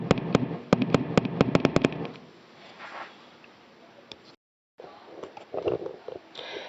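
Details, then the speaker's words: Vox AD50VT guitar amp stored in a cold basement for about a year: loud uneven thumps about four a second at switch-on, unaffected by gain, volume, master or power level settings or by removing the tube; fixed by replacing the faulty control. "after sitting for a year or so he attempted to use it and found that it had developed an unusual problem a very loud pulsating noise that you'll hear when I power up the amp"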